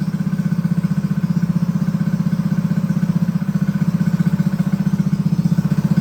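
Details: Honda GX200 clone single-cylinder engine clamped to a table stand, choke on, first start after build; fast single-cylinder popping about four beats a second, thin and a bit uneven, lean from a clogged carb jet; needs rejetting.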